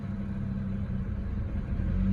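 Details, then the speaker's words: BMW E90 with manual clutch, warmed up, accessories off: low, slightly uneven lumpy idle with misfires and no clacking while the clutch pedal is held in; rough idle. The owner notes the car shakes side to side. "so I do have misfires going on and again I'll let you know what what I've done already"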